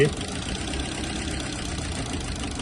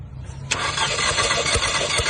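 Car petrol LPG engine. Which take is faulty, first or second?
first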